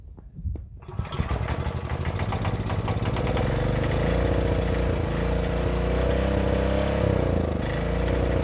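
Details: 1960s Generac generator not run in decades: a few cranking pulls, then it catches and settles into a steady, even single-cylinder chug; old engine starts and runs.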